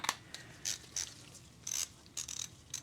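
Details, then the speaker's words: Vintage Craftsman 43785 3/8 quick-release ratchet after servicing, turning a 3/8 socket: crisp, bright bursts of fine even clicks with no rattle, slipping or play; pawl and teeth engage properly, normal ratchet. "she's nice and smooth. Smooth A. Gotta love that. And no, there is no give. You know, there's no play. So the teeth were good."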